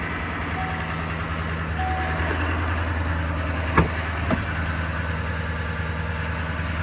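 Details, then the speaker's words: 2018 HD diesel with 9-foot bed at auction: low, even diesel drone at steady idle with a couple of handling clunks, no knock or miss; normal diesel idle. "So let's take a look inside this 2018 diesel with the 9-foot bed, the 3600 HD. Not bad. I hear that diesel."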